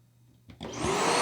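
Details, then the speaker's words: Hart DC1000 canister vacuum, secondhand unit, first start-up after refitting the pleated filter: motor spins up in about a second to a harsh high whistle with a rough rasp; probably a blown bearing, with a burnt-electrical smell. Suspected, not confirmed. "well, it's oh, yeah. It has probably blown a bearing. Ooh, the smell of burnt electricals and whatever else also kind of permeates."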